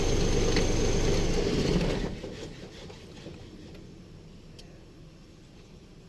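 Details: Isuzu truck with 6WF1 CRDi diesel engine: cranks at an even rhythm of about three and a half beats per second for two seconds, then fades without catching. Hard starting.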